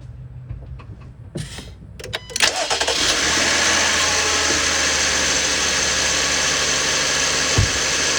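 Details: 2020 Jeep Grand Cherokee 3.6 V6 after serpentine belt replacement: short crank, catches quickly and settles into a smooth even idle with no belt squeal or chirp.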